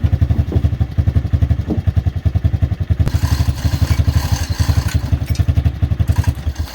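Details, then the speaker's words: 1986 Chevrolet Silverado C10, original 305 small-block before a swap to a 350: heavy, uneven low thumping near four beats a second with clattery edges; runs rough, cause not clear. "so i don't know how well you could hear it she ain't sounding too good"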